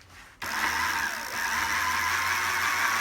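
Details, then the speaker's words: 1990s Sinclair Zike electric bike, rewired with a relay in place of the control board, two motorbike batteries giving 24 V, bearings re-greased: the motor whines, dips briefly, then rises as it speeds up over about a minute; runs smoothly. "you can hear it speeding up now as it sort of warms up."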